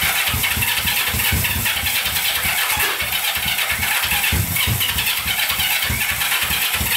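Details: Barn-find Honda CB350 twin (listed as 1970 or 1974), sat for years and sold as non-running, on its first start attempt with choke on and fuel to both carb lines: quick steady starter chug about five beats a second, not catching into a run.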